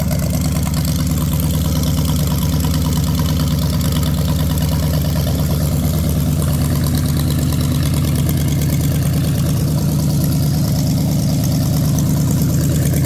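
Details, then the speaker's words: Ford 460 big-block from a neglected farm chore truck, first run on a gravity-fed lawn mower tank and the original mechanical fuel pump, no cooling system: a deep, even idle rumble with no ticking or knocking. Not smoking. Healthy. "Man, that's awesome. It's not smoking. No clattering or making funny noises."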